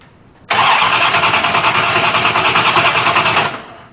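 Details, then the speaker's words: Dodge Aspen with MSD ignition and rat-nest wiring, sitting nearly six years, driveshaft disconnected, no fuel but starting fluid poured in: about three seconds of even, rhythmic cranking that never catches; cranks but no start, no spark. "no hurry she's a no fire so I know we don't have fuel but I did attempt to put some juice down in there"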